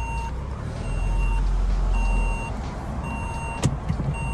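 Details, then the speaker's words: 2014 Vauxhall Corsa VXR facelift, first drive after salvage purchase: repeating mid-pitched chime about once a second over road rumble; seatbelt unfastened reminder, stops once belt is fastened. "let me put my seat belt on stops that moaning doesn't it"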